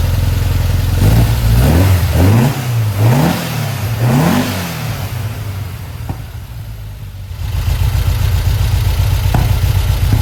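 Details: 1952 VW Split bus, freshly installed 1904cc stroker flat-four (74mm crank, 90.5mm pistons, up from 1641cc): four crisp rev blips rising and falling cleanly, settling to steady idle, no knocking; a leak noted; normal revving.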